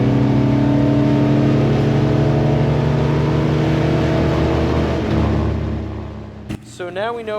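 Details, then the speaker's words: 1964 Dodge 440 bracket car at the drag strip, heard from in-car footage. The engine note holds a few seconds, then the pitch drops suddenly as the automatic upshifts to second too early. Next time: shift manually, holding higher rpm in first gear. "On this next clip, listen to the transmission shift. You can hear it hit second gear almost immediately after the starting line."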